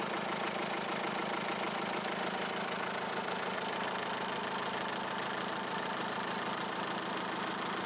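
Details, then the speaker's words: Diesel engine at 255,000 km running discount diesel treated with C99 additive: steady, even, smooth idle with little of the usual hard diesel clatter; sounds healthy. "Ici, vous entendez vous-même sur un moteur de 255000 km la parfaite combustion du carburant traité avec du C99 GL."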